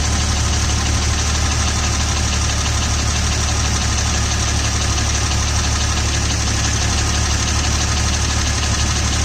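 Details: 2000 Jeep Cherokee XJ idling with a light quick tick, about three per second, from the rear bottom of the engine; slightly louder when hot, disappears off idle. Owner suspects the flexplate; unconfirmed.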